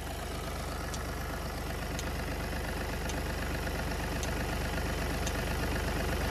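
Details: VW Polo with codes P00AF, P2564 and P0045 (turbocharger A module performance): steady idle with a light, sharp tick about once a second, likely a clicking solenoid near the turbo.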